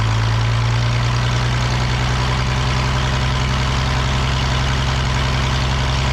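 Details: The Rockabilly Rat, an old engine, gives a deep, steady low rumble at a slow, even idle with no misses or knocks after spark and timing work; running properly.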